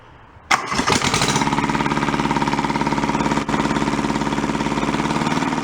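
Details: Junked small Kubota diesel from a scrapyard, clamped to bars, restarted after swapping reversed throttle and shut-off solenoid wiring: catches with a sharp burst, settles into even, steady clatter about three and a half beats a second. Runs healthy, good oil pressure.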